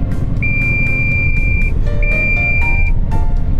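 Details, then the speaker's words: Long-haul truck on the road, heading for a cabbage pickup: long high-pitched beeps of about a second repeat over road rumble and music, the low-coolant warning sounding; coolant checked before departure, driver suspects the radiator is low. "という警告音がさっきからピーピーピーピー鳴ってます。これはとてもよろしくない状態です。"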